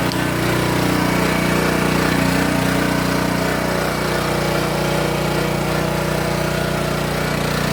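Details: King Canada 3000 W (2,300 W running) generator after repair and new air filter setup, run before load test: even, steady beat at constant speed with no hunting, stumbling or knocking; running smoothly.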